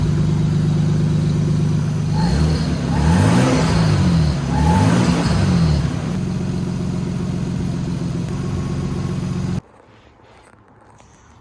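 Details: Toyota Supra with sequential twin turbos, on revs: a thin whistle or chirp rises and falls with engine speed over the exhaust roar, from near the turbos.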